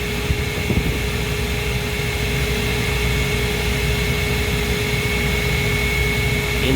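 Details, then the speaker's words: Old Trane gas package unit after an ignition-failure lockout, gas pressure adjusted around negative 0.1: a steady burner roar with the fan humming underneath and no popping or surging. Smooth, normal firing. "that could have been part of it I mean that that's a smooth fire and I'm happy with point one just to keep from"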